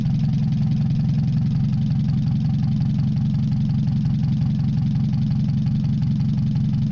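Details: Mazda 626 first start after cylinder head reassembly, warming up, rest of exhaust not connected, oil overfilled: low lumpy idle, uneven pulse about three a second, shaky wandering beat. Owner suspects O2 sensor misreading open exhaust, possibly old gas. Rough fluctuating idle.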